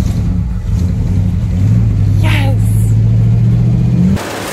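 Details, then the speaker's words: Plymouth Fury that sat for five years, just started: steady low rumble with an even, unbroken beat and one light throttle blip; idles smoothly, like brand new. "oh my gosh idle's like it's brand new that is crazy"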